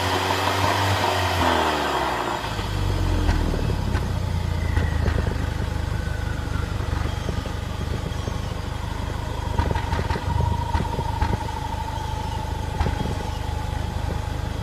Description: Misfire due to bad spark plug